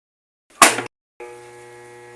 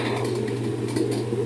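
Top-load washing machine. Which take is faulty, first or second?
first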